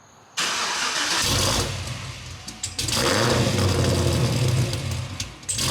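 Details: Cadillac CTS-V V8 on first start after BTR Stage 3 cam, new valve springs and top-end work, not yet tuned, recorded from behind: loud lumpy idle rising and sagging every few seconds, nearly stalling, won't hold idle; idle surge needing a tune.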